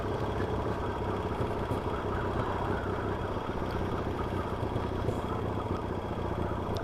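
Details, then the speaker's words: Yamaha XS650 twin chopper on a ride, engine rebuilt with a crank: fast light tapping over busy idle, knocking under load; owner first suspects crank little ends, later suspects worn rockers/shafts or worn pitted tappets. Top-end tapping, unconfirmed. "sure i'm sure it's a crank sure it's a little ends on this it's got that little end sound to it don't if you i don't know if you can hear it or not that tapping for a dodgy uh for dodgy crank"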